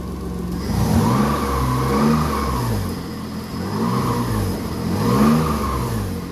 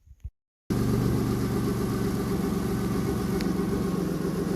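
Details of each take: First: Subaru SVX after fitting a new ECU, fired right up; smooth hum rising and falling cleanly through four throttle blips, no misses or knocks; normal running and revving. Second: Subaru SVX after ECU repair, cam/crank sensor issue and vacuum leaks at air box, exhaust leaks suspected: catches and settles into an uneven, lumpy idle, seemingly dropping a cylinder or two; rough idle, cause unconfirmed.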